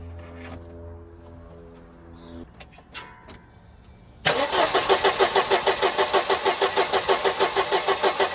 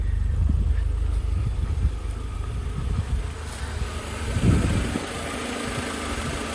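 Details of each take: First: 1988 Mercedes 190E W201 petrol engine after valve stem seal replacement: starter spins it about three turns a second but it never fires; no fuel in the tank, and a manifold pipe was left off. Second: 1988 Mercedes 190E W201 after valve stem seal replacement, previously misfiring, smoking and not starting: petrol engine now idles low and fairly smoothly with slight shaking, no misfire, no smoke. Normal idle; owner thinks air pipes need adjustment.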